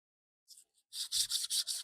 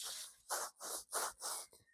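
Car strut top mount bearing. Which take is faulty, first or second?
second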